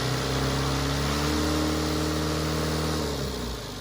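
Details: Cummins 4BT diesel in a Power Wagon on 37s, first start since 2015 (April 2022), temporary battery, 8 psi fuel pressure: smooth even running at raised speed, then pitch sags as it winds down, no knocks; normal running.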